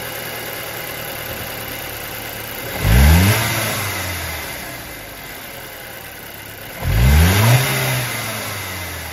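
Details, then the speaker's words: 2008 Audi A4 2.0T Quattro, even idle with two clean throttle blips after swapping the cylinder 1 and 2 coil packs: the cylinder 1 misfire vanished and the computer shows zero misfires, cause unclear. "well that's the oddest thing our misfire has completely gone away i just checked the computer and i have zero misfires now"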